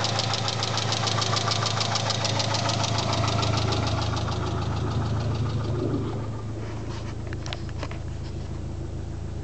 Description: My engine is making a ticking and knocking noise not sure what it is